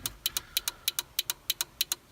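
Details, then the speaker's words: 1989 Toyota pickup 4x4 after switching to LED blinkers, hazards on: crisp paired clicks about three cycles a second from the flasher relay behind the dash hyper flashing; relay to be replaced. "I think that is the flasher. And you should be able to turn on your flashers and hear it clicking. I think even feel it clicking."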